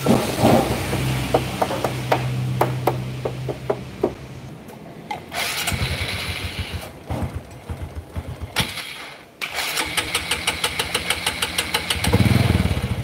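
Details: Honda Kharisma motorcycle, just started cold, weak and down on power: sputters unevenly, beat stumbling and dropping out between blips, never settles to a steady idle, dies if revved hard, must be throttled gently, needs warming up first.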